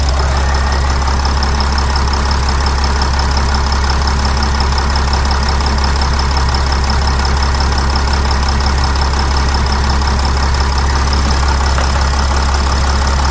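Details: Sprinter van 3.0L diesel, after engine oil cooler replacement, no leaks found underneath: steady even idle with deep constant drone, no knocks or misses; check engine light cleared itself, sounds healthy.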